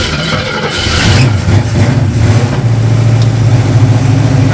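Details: Caged, street-legal 2012 dirt car, started once the fuel pump could be heard running: a brief crank, then a firm, even low idle rumble with no misses and 60 lb of oil pressure. Normal start and idle.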